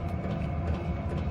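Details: Hcalory 5–8 kW 12V diesel air heater running and putting out heat: quick, light fuel pump ticks over a low rumble, amplified by the wire cart the pump rests on; isolating the pump would quiet it.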